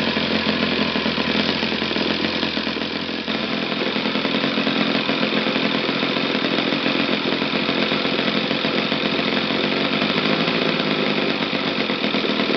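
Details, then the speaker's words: Used eBay Saito FA-60T flat-twin model engine, first bench test run before refurbishing: high, buzzy, even drone at steady speed with no stumbles or misses; runs well from low to top RPM. "I think the initial test run of Saito FA60T was very successful. So engines performs very well and tunes from the lows to the highest RPM without any problem."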